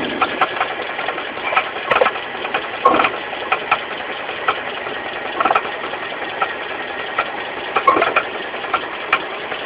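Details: Mitsubishi 4G15 carburetted engine at quiet idle with sharp knocks about once a second coming and going, down low at the front: a loose crankshaft pulley, fixed by tightening it rather than replacing it.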